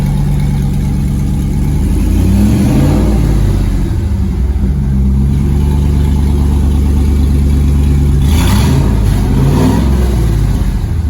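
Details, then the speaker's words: Car prepped for LS Fest, new Flowmaster U-fit stainless dual exhaust with Hooker Blackheart mufflers and electric cutouts, cutout open, first fire-up on phone mic: deep V8 rumble climbing and falling cleanly, no misfire, rattle or leak; normal revving. "Whoa. It's a good low rumble. Oh, he can't hit the gas, can he? I'm sure my phone is probably cutting out part of the sound. That does sound good."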